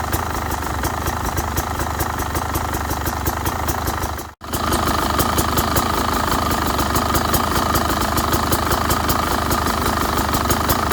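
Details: Brand-new 2022 Beta 300RR Racing two-stroke, 0 miles, zero hours, idling: even, crisp popping beat with a brief blip midway, no rattle or knock; idle sounds normal.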